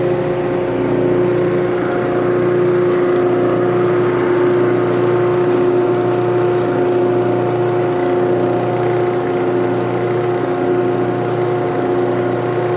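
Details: Early cast-iron Craftsman (Dunlop) 12-inch disc sander with bronze bushings, damaged cord, first test run: steady, even motor hum with clean constant pitch, no grinding or rumble, bearings sound okay.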